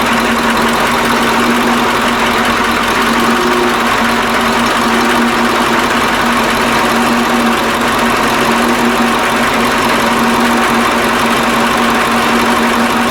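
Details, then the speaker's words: KAMAZ 65225 Euro-2 diesel truck, reassembled after an engine-knock repair, first start: steady, even idle with a smooth hum and no knocking; owner hears only a very quiet metallic sound, from an injector line, after the knock was eliminated. "а короче ребята вроде это нету звука то я чувствую что трубка на тынде дети железный звук но это вообще тихонечко такой"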